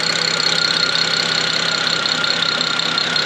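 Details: BMW E90 335i N54 just started after a new quieter fuel pump and new plugs, with fuel pressure present and some smoke from oil in the plug holes: even idle with loud fast injector ticking; healthy.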